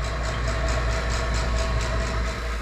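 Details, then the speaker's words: JB Industries DV-6E 6 CFM vacuum pump evacuating a commercial refrigeration unit after leak repair and nitrogen test: steady even low drone with smooth regular pulse, no knocking or grinding; normal running, vacuum coming down fast. "my valves are open and i have to connect to the vacuum pump so let's start it up"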